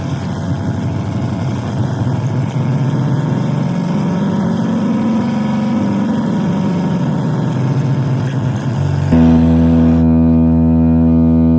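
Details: Tivoli Model One radio on 12 VDC: no FM reception and wavering AM static, then a sudden loud, steady foghorn-like drone unaffected by the volume or mode knobs. The cause was a faulty 78L08 8 V regulator, fixed by fitting an L7808.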